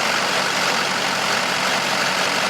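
Even, steady diesel idle with constant clatter, no surging, stumbling or added noises; the engine sounds healthy.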